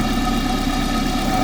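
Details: Engine at idle, heard through a pipe used as a stethoscope on the alternator: steady, even whirr with a constant low hum, no knocks or grinding; alternator sounds healthy.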